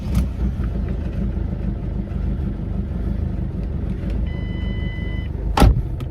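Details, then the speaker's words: Mk6 Ford Fiesta 1.6 TDCi at idle, heard in the cabin after replacing the engine mount: low diesel idle with a faint buzzing rattle still present; mount not the cause; a rubbing boost hose bracket is chattering. "so as you can probably hear the noise is still there"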